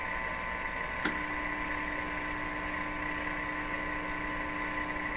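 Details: Viking EMU61 tube radio (probably about 160 V maximum, high-voltage rectifier) with a steady low mains hum and faint clicks through the speaker, traced through the supply resistor and filter path while troubleshooting possible causes.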